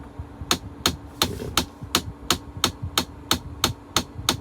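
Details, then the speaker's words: Mahindra Thar at the service centre after a trip: sharp, fairly regular tick-tick about three per second from the dash whenever the AC temperature is moved slightly up or down; clicking in the climate control, cause not yet known. "भाई ये देखो आवाज। अब मैं इसे temperature को सिर्फ थोड़ा सा अप डाउन करूं। आवाज आने लग जाएगी।"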